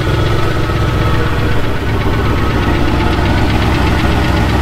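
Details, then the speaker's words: C10 pickup, first start after refitting the front engine parts: steady idle with a fast, even metallic rattle over the low rumble; rattle heard from the exhaust area, louder on one side, cause unclear. "y'all can probably hear the exhaust we it's got a rattle in the little"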